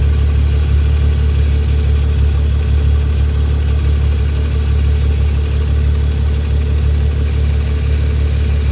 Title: BMW F20 M135i Ticking / Rattle Noise (Undiagnosed)